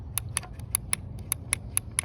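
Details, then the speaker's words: EGO LM2130SP electric lawnmower during no-start troubleshooting: the handle relay gives crisp, evenly spaced clicks about five a second, switching normally. "Can you hear that click? Click, click, click. Right, that's still functional up here."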